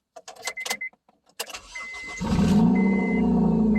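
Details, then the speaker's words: 2005 Honda Civic that had only made a single click, after cleaning corrosion from the starter contact: a few clicks, then a brief crank and it catches into a steady, even idle. Starts cleanly. "We're in business. Keep in mind, if this didn't work, I would have gone to the next step, which I'd have started tapping on the starter and see how it responded to that."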